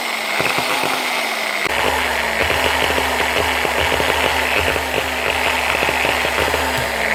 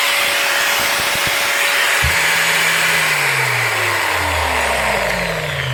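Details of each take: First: Older Bosch GWS9-115 non-speed-control angle grinder packed with fiberglass: it won't start or splutters and jumps, the motor whirring unevenly with crackling bursts and sagging pitch from stuck motor brushes; cleaning the brushes and holders fixed it. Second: Older Bosch GWS9-115 900 W 4.5-inch angle grinder, non-speed-control, after cleaning brushes that were stuck by packed fiberglass: a clean, steady motor whine that holds pitch and winds down smoothly, now running normally.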